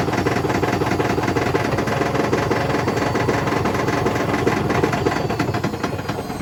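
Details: Hotpoint BHWMXL145 washing machine on a test spin heading toward 1400 rpm: rapid, hard pounding two to three times a second over a roaring spin, the drum slamming around because two spider arms have snapped.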